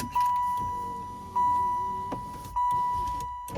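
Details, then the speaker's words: 1995 Impala SS driver's-side power window after the shark fin fix (front felt strip): three short, even motor whirs of about a second each, key on, with clean stops and no grinding or binding; window working properly. "Windows working. Great."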